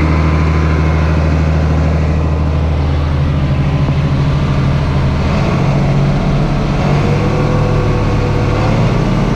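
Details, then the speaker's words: 8300T truck diesel after an engine rebuild, at final assembly before a test drive: deep, steady rumble lifting smoothly with a touch of throttle, no knocks or misses; owner says she sounds good; normal running under light throttle. "Oh valve or something hanging up you know she sounds good give her a little throttle"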